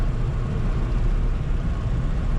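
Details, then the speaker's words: Custom VW Baja air-cooled flat-four, revived after about 5 years in a barn, timing believed sorted: steady low drone while driving, even with no misses or popping; mixtures adjusted and it runs really well. "I played around with the mixtures, it seems to be running really well."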